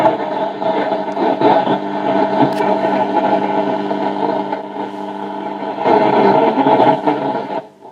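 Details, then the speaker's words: 1950 Telefunken Musical 9650a valve radio after capacitor replacement and tone-circuit work: plays but thin, muffled, distorted with hiss; UCH41 converter/mixer valve degraded and local oscillator failed, fixed by replacing with UCH42. "Ves que la radio está viva pero muy degradada."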